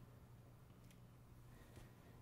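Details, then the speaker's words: 1947 radio receiver powered at reduced line voltage through bulbs, volume turned down: only a faint steady low hum under the hiss; 1950 filter capacitor still working well; normal quiet output. "there's almost no hum in this radio that means that that filter capacitor from 1950 is still working well"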